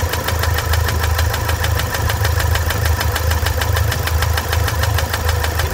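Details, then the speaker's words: Toyota SW4 3.0 diesel, 2015, with problems after a service: sharp regular ticking two to three per second over a steady idle; stops with the injector disconnected and returns when reconnected, confirming a stuck injector. "então vocês viram quando liga o bico para o barulho continua é desliga o bico para o barulho liga El ele faz o barulho então que temos bico aqui"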